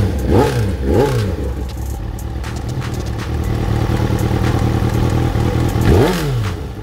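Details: Kawasaki ZXR 750 after full wiring harness and CDI replacement, carburetor rejetted: engine revs up and down with clattery uneven knock over the exhaust; knocking noise, cause unknown.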